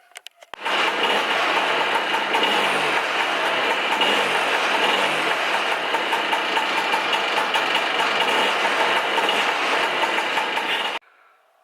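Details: Lambretta Jet 200 two-stroke, 6-volt ignition, points set to 0.4 mm after carb jetting and timing work, slight flywheel play noted: steady, buzzy idle picks up cleanly and holds even for ten seconds, then cuts off; normal idle.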